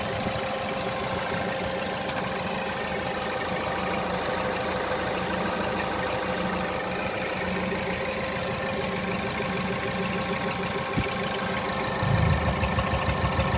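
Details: 1.6 THP direct-injection petrol engine (Peugeot/Citroen/Mini) smoking blue oil smoke, oil blown out around the valve cover from high crankcase pressure; idle lopes unevenly with an irregular stumble: rough idle misfire, cause suspected.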